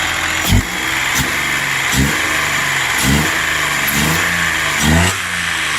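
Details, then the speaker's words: 2003 Ford Explorer 4.0 V6 just after a timing chain install: loud, clattery running with a heavy surge about once a second over a rough idle. The noise's cause is unknown, it is possibly running out of fuel, and one cylinder shows 17 psi compression. "that doesn't sound good at all huh [Music] oh boy now i am probably running out of gas but at least it sounds a little better now but i don't know what the hell that noise was"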